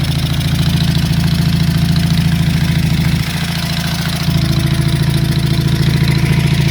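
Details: Honda CB350 Four project bike at first start-up: lumpy, uneven idle with a stumble about three seconds in, two cylinders pulling and the others catching now and then, noise from the top of the engine; misfire, cause not yet investigated.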